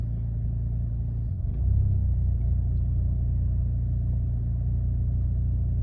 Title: 2008 Chevy Malibu rough idle/ acceleration 👨🏾‍🔧#shortvideo #carproblems #chevrolet ￼#mechanical